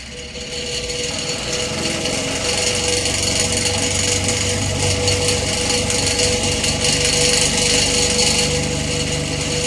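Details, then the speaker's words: Old electric fan whose damaged, off-center blades need a lot of work; loose uneven rattling clatter about three knocks a second over airflow hiss as it keeps bouncing around from blade imbalance. "yeah I don't think we're gonna continue this on because this fan needs a lot of work with the blades and it just keeps bouncing around"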